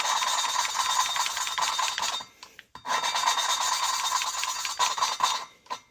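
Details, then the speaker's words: K-series VTEC cylinder head after DIY port and polish: dry rhythmic rasping scrape back and forth with brief pauses as a valve is lapped into its seat with coarse grinding compound, listening for the sound to change. "And when you're grinding, you're just going to listen for the sound change."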